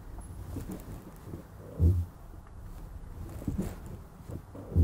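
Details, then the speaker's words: Polestar 1 (2.0-litre supercharged plug-in hybrid) manoeuvring at low speed: three deep groaning creaks about every second and a half from the brakes; a low-speed brake creak. "When you're manoeuvring at low speeds, the brakes make a weird creaking sound like this."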